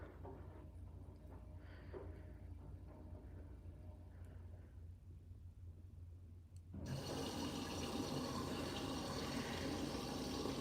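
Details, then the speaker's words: Siemens front-loading washing machine: quiet clicks, then a steady, even rush of water as it fills through the front of the detergent drawer; normal water fill. "Now it's filling through the front of the deterrent drawer which is underneath the eye."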